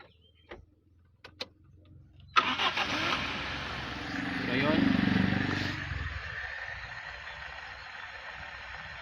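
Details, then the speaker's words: Toyota 1RZ engine with Aisin carburetor, cold start just set: engine catches and settles into a steady idle that sags after a short rise, below the 1000 rpm cold fast idle target; needs adjustment. "So, dapat ang cold start niya is papalo siya ng 1000 RPM. So, try natin."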